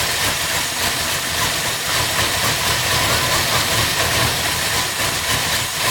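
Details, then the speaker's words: Lunch truck cold start on choke after oil change and spark plugs refitted: stumbly, faltering idle under hiss, as if it may stall; owner suspects slightly lean running, still needs tuning. "So far so good. It's a little stumbly, but it sounds like it's starting to come around, or it's going to stall. One or the other."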